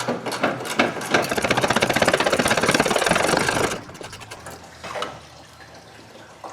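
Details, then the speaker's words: 2013 Nissan Sentra electric radiator cooling fan at 100,000 miles: fast even ticking about three clicks per second, sounds like a zip tie stuck in the blades (suspected, not confirmed); fan being replaced. "So this fan on this car is just making a bunch of noise. Sounds like it has a zip tie stuck in it, I guess would be the easiest way I can describe what it sounds like."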